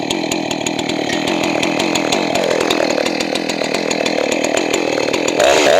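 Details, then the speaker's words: Johnson Red 670 two-stroke chainsaw with a rebuilt Tillotson carburetor, high-speed mixture being adjusted: screams high and thin when too lean, then pitch drops and turns burbly as the high jet is richened. Lean high-speed mixture. "If you're too lean, it's going to lean out more after you start using the saw. So listen to what's going on, and let's see what happens."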